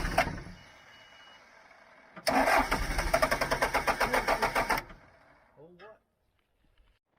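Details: John Deere 310G backhoe after a new computer is fitted: a steady, fast chug of cranking for about two and a half seconds that never catches, then stops; no start, code F428 shown, cause not confirmed.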